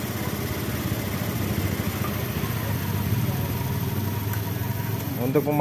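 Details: Honda Beat ESP scooter idling after repairing peeled black/white CKP sensor wiring (MIL code 52, intermittent stalling) and resetting the code: steady, even single-cylinder putter, no misfires, knocks or hunting; normal idle.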